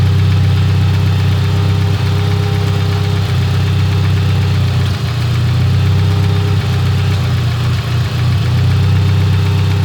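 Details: Petrol engine the day after a tune, stalled twice: uneven idle with heavy low drone and loud irregular clatter from the top end, owner suspects the cylinder head; cause not confirmed.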